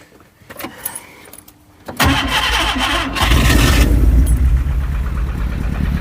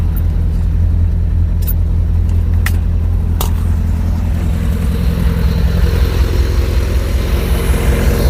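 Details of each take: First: Skoda Estelle 120 with Rover K-series swap: catches after rough start and settles into uneven, lumpy, stumbling idle, running on three cylinders. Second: Skoda Estelle 120 with Rover K-series swap, after boost start: deep steady low rumble firing evenly; engine that ran on three cylinders now runs on all four and idles smoothly.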